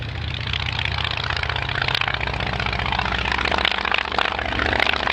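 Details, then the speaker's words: 160 hp Kinner five-cylinder radial with three open exhaust stubs and the top two into a collector ring, on a passing vintage plane: deep, uneven, loud burbling exhaust note; healthy, normal running. "so you hear three loud bubble bots kinder engine especially when it comes past close quarters"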